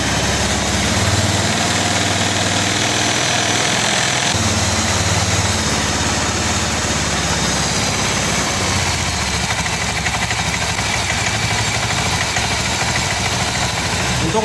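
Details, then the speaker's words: Honda Scoopy injected automatic scooter, idle after cleaning the dirty injector that caused stumbling and stalling when throttled: steady, even idle with no stumbling or misses, already different from before; problem fixed. "dari stasioner ini sudah ada perbedaan dengan sebelumnya"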